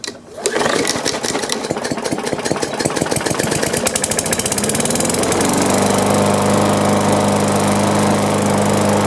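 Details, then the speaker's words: Mower with the 500E-type engine and a crankshaft bent from hitting something, after straightening and tightening the rattling muffler heat shield: pull start, revs climb high and hold a busy buzz; slight vibration remains, much less than before; governor/throttle adjustment suspected. "still felt a little vibration, but not near as bad as it was. I might mow with it a little bit and see if it's tolerable. And it seemed like it was revving up pretty high,"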